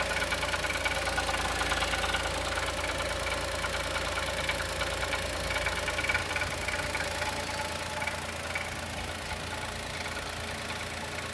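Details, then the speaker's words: 2020 Chevrolet Onix naturally aspirated, about 4,500 km, first cold start of the morning, brake pressed: steady light ticking knock about three per second over the engine hum; owner suspects lifter or piston pin. "Olha o barulho do motor batendo. Pisa no freio. Olha o barulho como bate, pisando no freio."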